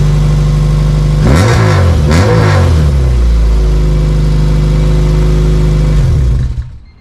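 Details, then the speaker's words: Honda CRX LSVTEC, aftermarket muffler fitted, on driveway: two quick revs then low idle with raspy buzzy exhaust edge, deep loud tone gone; muffler not fully welded, leaking, resonator also suspected. "Okay, so the raspiness is still there, but the deep, loud tone is gone."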